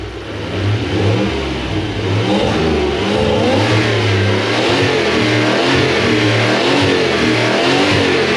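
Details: Toyota 1UZ V8 freshly refitted in a Toyota Hilux Xtra cab conversion, running after fuel pump priming; strong clean note rising and falling through throttle blips, no knocks or misses: normal.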